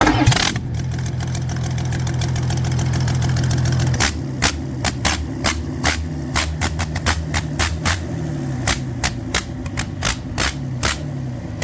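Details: Doosan diesel engine after a full overhaul in a local workshop, first start: turns over and catches within about four seconds, then settles into a firm, even idle with sharp clattery knocks overhead; runs clean.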